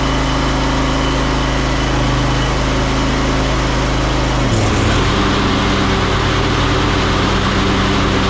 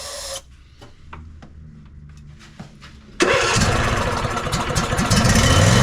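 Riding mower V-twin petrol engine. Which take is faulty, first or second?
second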